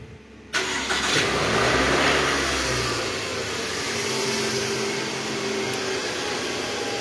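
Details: 2012 Toyota Alphard ANH20, 2AZ engine, about 74,000 km, first start after replacing a broken balancer shaft that caused rough engine noise: it cranks and catches at once, settling into a smooth, steady idle with no knock or rough shake.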